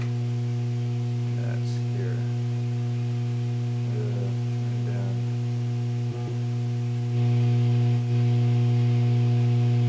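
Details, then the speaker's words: Vacuum tube guitar amp in ready mode, clean and distortion channel gain raised: a constant low buzz and hum that grows louder with volume. It is 120 Hz, not 60 Hz, timed with HV rectifier diode conduction; the source is not yet found. "yeah but the point I was trying to make was the buzzing is not 60 cycle it appears to be 120 cycle in origin"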